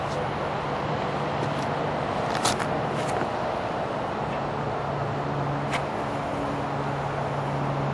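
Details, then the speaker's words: Mooncool TK-1 e-trike (48 V, 500 W motor) wheel spinning freely with a soft, even hum after the brake rotor was sprayed with brake cleaner: no squeal, runs normally. "no squeal and it just goes normal"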